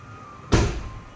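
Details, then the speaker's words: Tata Tiago door after adding gap-filler tube along the seal: single solid, deep, slightly heavier thud with short dull decay and no rattle; door closes firmly, noticeably improved. "आवाज़ में काफ़ी फ़र्क है।"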